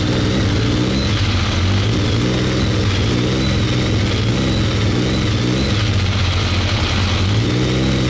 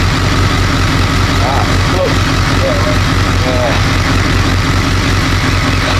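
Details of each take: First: BMW K1200 R motorcycle, hot, fuel pressure 2.3 bar (low side), no fault codes: revs up and down unevenly with ragged stumbling pulse, runs rough and cuts out; cause not pinned down. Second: BMW K1200 R, previously rough and cutting out, after diagnostic reset of injection adaptation values: fairly even idle under voices and street noise, warm at just over 100 degrees with fan on; roughness gone, slight clutch rattle.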